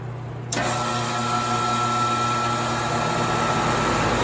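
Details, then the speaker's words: Home AC outdoor unit with a bad capacitor that stopped the condenser fan, temporarily jump-started by spinning it with a box fan: the unit kicks on with a thump, then a steady hum and fan whoosh, running normally. "अब आप देख सकते हैं कि क्या हुआ मैंने इसे चालू कर दिया एसी और पंखा अब सामान्य रूप से काम करना शुरू कर दिया है,"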